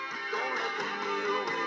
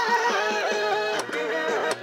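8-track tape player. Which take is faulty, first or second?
second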